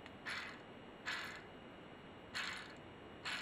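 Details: Pellet stove exhaust blower motor on the bench: its loose rotor is spun by hand and gives short, rough ratcheting bursts. The grating comes from worn, bad bearings, with a part frozen on the shaft to be replaced.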